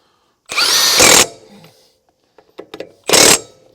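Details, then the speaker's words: Milwaukee M18 FUEL Gen 3 1/2" high torque impact wrench, 5 Ah battery, snugging lug nuts: two short bursts of sharp even hammering; runs strong and clean. "yeah man I like that feels like a walk in the park"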